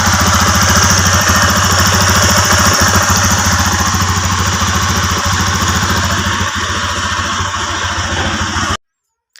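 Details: TVS Apache RTR single-cylinder after rocker arm adjustment to fix bad engine noise; steady even idle about two hundred pulses a minute with no tapping on top; valve train healthy, normal idle.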